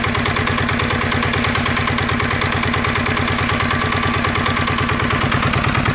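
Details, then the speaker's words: NF19 single-cylinder diesel, original and unmodified: strong regular diesel knock at a steady pace with no stumbles or shaking; smooth, healthy running. "uôn anh em thấy đặc biệt của dòng cá này anh em nó gì chưa là nó không có rung nó không có lắc luôn á"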